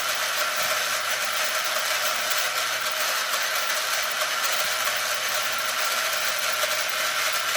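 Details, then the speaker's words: Arrma Limitless GT with Castle 1721 2400kv motor on a Perfect Pass mount, run on one battery instead of 8S to set pinion/spur mesh: smooth, even high-pitched whir with no clicking or grinding; mesh set about right. "So I don't know if you guys could hear that, guys, but you can hear when the mesh gets just about perfect."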